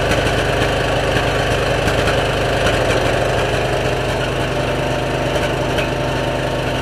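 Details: 2003 Stanley 46" garden tractor (Murray model 461008x692A) with a Briggs & Stratton engine, new replacement carburetor, air filter and battery: a steady, even drone at constant speed with no misses or surging. Normal running.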